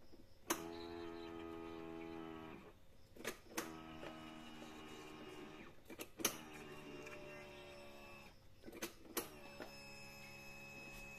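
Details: Honda Beat FI that bogged and died on throttle, after fitting a replacement fuel pump: short two-second electric whir repeated with clicks, stopping cleanly. Pressure stays above 30 with no leak-down: normal fuel pump priming.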